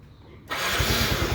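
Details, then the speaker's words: Yamaha Mio M3 scooter that would not rev, was sputtering and lacked power, after ECU replacement: low idle, then crisp clean rise in revs with an even firing beat and no stumbling; now normal. "ini setelah kita ganti Ecu ya teman-teman Dan kita tarik gas ternyata dia normal"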